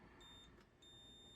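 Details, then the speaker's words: Multimeter continuity beep, clean and steady, checking the repaired positive-to-D5 wire and the negative connection on a battery-damaged Apple Macintosh IIfx logic board; no shorts, connection good. "So let's double check for shorts. We have none. Let's double check our negative connection. Sounds good."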